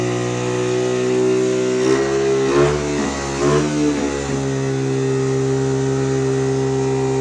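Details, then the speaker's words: 1985 Honda ATC 110 single-cylinder, after the right fuel: idle breaks up and wavers for a couple of seconds, then settles to an even drone. It won't hold steady and tends to run away; the idle screw does nothing. "why breaking like that I don't know I don't like it like to run away that's weird the idle isn't doing anything"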